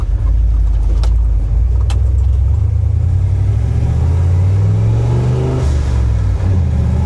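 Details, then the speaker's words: 1976 Ford F250 with turbocharged 331 engine, previously weak, after finding the fault: deep strong pull under load reaching about 15 psi boost, note climbing steadily, no misses, surging or rattles; healthy boosted acceleration. "That's way better. I don't know what I got to give me a boost gauge. I I mean, this thing yows up."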